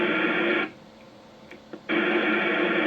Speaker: kg7 HR there's no repeater tail or whatever you want to call